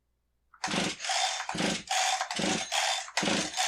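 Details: Husqvarna 372XP two-stroke chainsaw after stop switch replacement, test run: catches and revs in sharp, clean bursts about every half second with no stumbling; running healthy.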